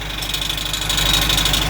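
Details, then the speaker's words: VW truck diesel at idle: quick regular ticking knock about ten a second with a thin hiss from the exhaust, not engine knock; small exhaust brake piston lost, exhaust leaking. "É o pistãozinho que você perdeu. O pistãozinho do freio a motor, que fica aqui, ó. Aí você perdeu o pistãozinho."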